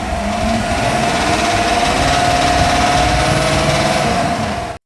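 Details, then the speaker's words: GM 6.2L L87 V8 at 4,100 miles idling steadily with a fast, even knock of about three to four per second underneath; crankshaft bearing knock, "that's the crank, that's bearings." "Yeah, that's the crank. That's bearings."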